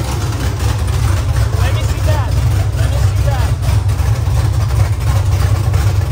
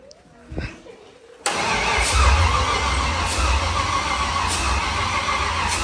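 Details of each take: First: LS V8-swapped Nissan S14 first-ever start, no exhaust fitted; deep, loud, even rumble at steady idle with raw open-pipe bark, no misses or knocks: normal idle, no exhaust fitted. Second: Nissan S14 with LS V8 swap on first-start attempt; starter cranks steadily about four pulses a second with no catch, fuel pumping but injectors not firing.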